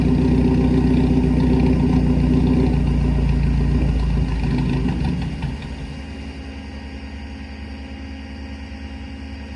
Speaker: sounds like a tractor what's wrong with it [Music] it don't take a genius just think that sounds bad